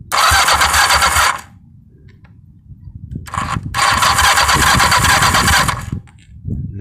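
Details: 1982 Yamaha 550 motorcycle, not run for about 4 years, after mild carb cleaning and wiring rework, jump-started from a truck. Ragged bursts that cut out and stumble; it runs rough.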